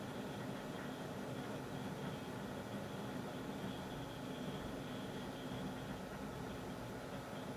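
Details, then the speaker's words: PC with H220 cooler, normal setup, all fans connected, side panel on, SpeedFan control active, OS loading: soft steady fan hum, no rattle or pitch swings, under 40 dB versus 30 dB baseline; normal idle. "as you can see the actual sound at idle is actually quite low it's almost i want to taste off he's not silent but it's enough to be under 40 decibels"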